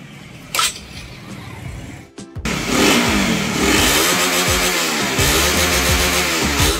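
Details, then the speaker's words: Honda CB150R after shimming the TPS sensor: engine starts and revs up and down cleanly with no stumble; before the fix it hesitated and sounded rough at full throttle and high rpm. "Oke jadi ini sudah teratasi ya teman-teman ya sebelumnya itu dia itu agak sedikit lebih ngorok ya"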